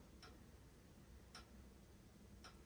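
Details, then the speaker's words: Household radiator (heating battery) in a quiet room ticking sharply about every 1.1 seconds; owner says it didn't do this before but does now; cause unknown, she asks whether she can fix it herself. "Раніше вона так не робила зараз робить"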